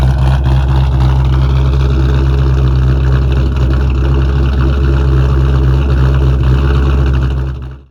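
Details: A 2001 Mustang Bullitt V8, started in winter on a big battery charger after a dead battery, gives a deep, steady burble with an even low rumble at idle, not revved, with no knocks or misses; a smooth, healthy idle.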